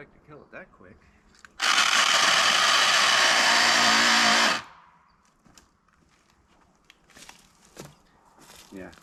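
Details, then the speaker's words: Old Craftsman V20 cordless saw with a 9 Ah battery, on its last legs: a three-second harsh rasping grind on the trigger with no clean motor tone. The gears inside are stripped. "matter of fact we're going to pop a n a 9 amp battery in it and I'll show you what I mean and I think we're going to kill it today listen to this thing it's not good not good"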